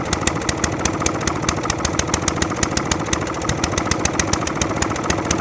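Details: Atco Balmoral 20S cylinder lawnmower that keeps cutting out: after adjusting the jet under the carburettor bowl, the small single runs lumpy and rough with uneven popping. It runs slightly better off choke but still wants choke, and is suspected to need a carburettor clean because it wants too much fuel.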